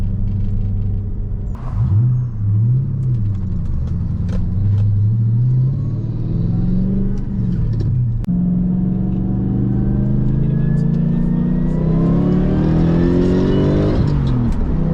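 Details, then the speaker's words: Lexus GS400 after a CBS Racing limited-slip differential install, cruising at 60 mph at 1800 rpm (previously about 2500 rpm): steady low drone with no whine, hum or clunk from the rear; zero differential noise. "Well, 60 miles an hour and I'm at 1800 RPM, which is fantastic. Previously I was about 2500 RPM. Okay, no problem, no noise. Zero noise."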